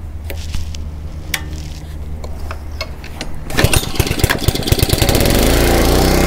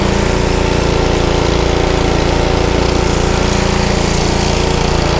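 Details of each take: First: Honda 5 hp GC160 (model uncertain) gravity-fed pressure washer that had been surging with weak pressure, after new filter, spark plug and carburetor cleaning: handling taps, then engine catches and settles to a steady, even run with no surging or hunting. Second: Honda GC160 5 hp pressure washer engine, filter and spark plug already replaced: single-cylinder runs loud, speed hunting up and down; surging clears with a little choke; partly clogged carburetor.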